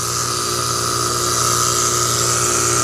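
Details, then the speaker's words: Failed R410A AC compressor before replacement, not pumping: suction pressure very high (181), head 298, amp draw about 7; steady mechanical hum with a fast, uneven pulsing and a high hiss. "Listen to the sound of this bad compressor. We're about to replace it."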